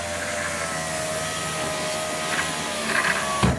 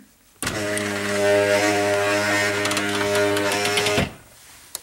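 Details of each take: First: 2005 Chrysler Town & Country front driver's door after replacing the window regulator and motor (was noisy going down, slow going up): smooth, steady motor hum about three seconds, no grinding or clicking, soft stop; much quieter, door panel still off. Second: 2005 Chrysler Town & Country driver's front power window: a steady, labouring motor hum for about 3.5 seconds as the glass travels, noisy going down and slow.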